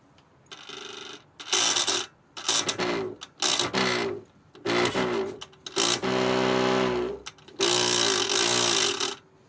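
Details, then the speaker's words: Effbike fat-bike hub motor spun up in short bursts: loud, harsh grinding rasp over its whine from a bad clutch bearing; gears inside suspected worn. "It's one of those little fat bike motors that are always broken, and it makes this noise."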